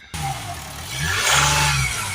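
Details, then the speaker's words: Mercedes E350 V6 CDI diesel with high DPF soot/ash readings, after reseating a crushed, unsealed seal: smooth clean rev rising and settling, no hiss of escaping air; car sounds much better, normal revving. "There's no air coming out. The car sounds so much better. Okay, now that that's done, the car sounds so much better."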